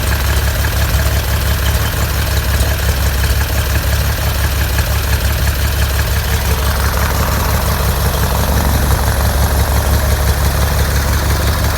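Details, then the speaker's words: 1957 Cessna 182 first start after build, modified O-520 P-Ponk engine (~475 hours) with MT prop: loud rough roar, uneven lumpy beat; one cylinder not firing all the time. "Even with that one cylinder not firing 100% of the time, it was still sounding pretty audacious."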